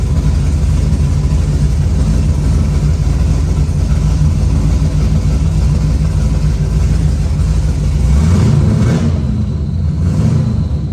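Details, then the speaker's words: C6 Corvette, first start after reinstalling the drivetrain, with the EBCM bypassed to get it to fire: rough, uneven V8 running with a loose irregular beat. Abnormal noise that sounded really weird; cause not yet known. "that sounded weird sounded really weird"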